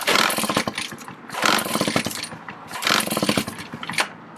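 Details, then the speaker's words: Redmax EBZ7500 two-stroke backpack leaf blower that runs and dies despite Sea Foam and carb cleaning: engine roars up then sags about every second and a half, surging and nearly dying; owner fitting a cheap aftermarket Chinese carburetor. "here we go runs dies surges and starts so here we go aftermarket chinese carburetor less than 20 bucks"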